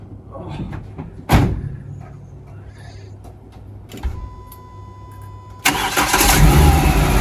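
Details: Renault Clio 172 with freshly installed engine, exhaust on and wired, no cooling system, after fuel pump hooked up: quiet, then the starter catches at once and the engine settles into a steady, even run with no misses.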